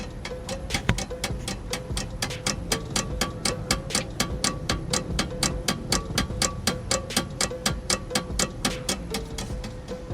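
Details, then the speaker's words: Volkswagen Jetta on suspension shaker machine, suspension set recently replaced, knocks on rough roads: sharp even knocks about four per second; loose, untightened bolt found and tightened. "Dia datang dengan komain bunyi-bunyi bila jalan tak kata. So kita dah pakai mesin ni. So dah dapat detect dah bunyi tu."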